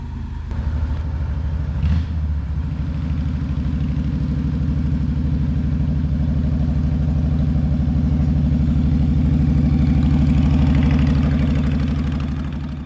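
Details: 2004 Honda VTX 1300 V-twin after the hydrolock and rich-running repair: deep, steady idle with even pulses about three a second and no misses, knocks or rattles; the engine runs healthy and doesn't appear to be leaking fluid.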